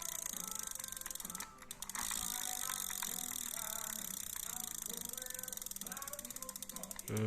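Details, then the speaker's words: Used Olympic 113D True Temper aluminium round baitcasting reel with a noted crack: crisp, regular ratchet clicks in runs as the handle turns. It cranks smoothly and the mechanism works normally. "ก็หมุนด้านหน้ามีเสียงแบบนี้เลยนะครับหมุนในหน้าลื่นแบบนี้นะครับ"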